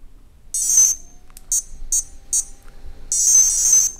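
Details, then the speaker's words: Castle Creations Cobra 10A ESC on the bench with an 1800 KV 540 outrunner motor: high-pitched power-up melody, one long tone, three short beeps, another long tone, clean and even; the ESC arms normally. "I kind of like the new startup sound it's still essentially the castle startup sound but it's kind of like it's got a crispness to it oomph if you will that I really like"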